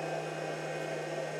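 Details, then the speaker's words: Pyle power inverter (PINV44/PINV66) with nothing connected: its always-on cooling fan gives a steady, airy whoosh over a low hum, pretty loud but with no rattles. Output 59 Hz, no amp draw, battery 12.9 V; running normally. "yeah this is quite loud listen to this and this is with not anything on now that is pretty loud for me"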